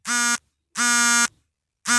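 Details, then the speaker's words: Mobile phone self-test, vibration check: three short, even buzzes at a steady pitch that start and stop cleanly; the vibration motor is working normally. "তো দেখতে পাচ্ছেন এবার vibration চলে আসছে। তো vibration হচ্ছে কিনা আপনারা তো সাউন্ড শুনতে পাচ্ছেন।"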